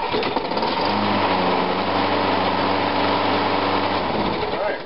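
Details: Small Briggs-type engine after ignition coil cleaning and refitting, cold start on choke: a steady, even buzz for about four seconds, then it shuts off. It sounds healthy.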